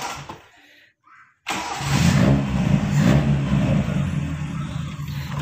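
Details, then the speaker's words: 1990s Toyota Corolla 16-valve carbureted, air filter removed: hard start, then slow, low, slightly uneven idle around 500 rpm; idle too low, car stalls when releasing clutch from standstill. "teman-teman untuk hidupnya agak sedikit susah Kemudian untuk rpm nya 500 RPM ya"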